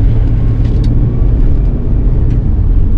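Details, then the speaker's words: 2005 Ford Territory Ghia driving after a service: steady low road rumble at cruise; earlier metal grinding is gone, no grinding or chirp from the belt drive. "Before I thought this was the engine mouth, but now the grinding noise were gone. So very stable."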